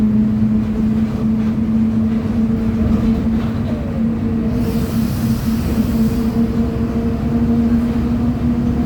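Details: 2007 Mercedes-Benz OF 1722M Torino bus, diesel, under way at high revs: steady droning hum over the engine that follows road speed; worn, noisy rear differential.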